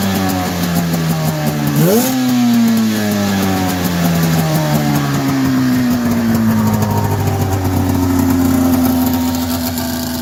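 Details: 1990 Polaris Indy 500 two-stroke snowmobile, sat outside since 2005, carbs cleaned, new plugs and gas, belt removed: raspy ringing note as revs rise and fall, loud open blatting from an exhaust leak; otherwise running pretty good.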